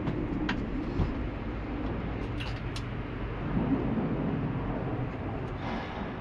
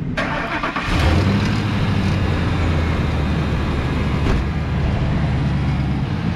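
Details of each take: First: Auction-bought work truck starting at idle; deep, loud rumble with a raspy, uneven exhaust note much louder than stock, from a big hole in the muffler. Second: Used auction work truck, apparently diesel, with a leaking radiator and needing rotors but driving and shifting fine. Short crank, then it catches at once and settles to a steady, quiet, even idle with no knocks or misfires. Normal start and idle.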